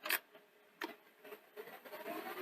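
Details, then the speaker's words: Akai VR-X475EGN multi-standard VHS recorder after an earlier gear noise, possibly contamination, was gone: clicks, then a steady rising whirr on rewind with no knocking; normal tape rewind. "smooth no knocking that's really good i'm so pleased"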